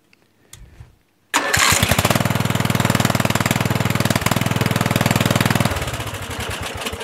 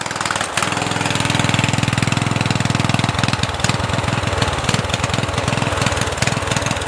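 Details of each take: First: Murray 14.5 hp 42-inch LT Select lawn tractor after correcting a miswired solenoid ground that stopped the magneto shutting off: starts first try into a steady single-cylinder thump and shuts off cleanly with the key. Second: Murray 14.5hp 42" widebody LT lawn tractor: single-cylinder keeps chugging at steady idle after key-off; previous owner miswired starter solenoid ground to wrong terminal, so magneto kill isn't grounding.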